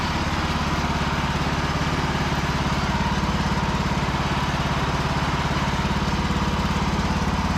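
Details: Free Cub Cadet lawn tractor after charging-system repair and steering bushing lubrication: steady, even single-cylinder thump at a constant idle with no misses, knocks or squeals; engine running healthy.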